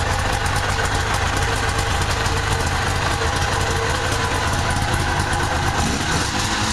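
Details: Two-stroke engine: busy, raspy note at a fairly even pace with no misses or surging; normal running.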